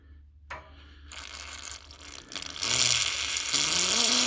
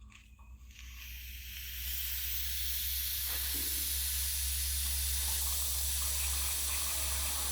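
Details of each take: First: Viessmann heating system with low pressure and a gurgling radiator that won't heat, bled again with the burner hot: a click, brief hiss, then a steady spitting rush of water from the open bleed valve. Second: Viessmann heating radiator not warming and gurgling, bleed valve opened: steady airy hiss builds as only air escapes, no water; suspected low system pressure and missing water.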